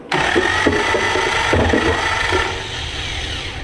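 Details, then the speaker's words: Junk Willys Jeep F-head engine, cranked by starter to check oil pressure: uneven clunks about four a second through the cranking, something loose in the lower end. "well that sounds good also sounds like something clunky in the lower end um let's ignore that for now and spin it a little more"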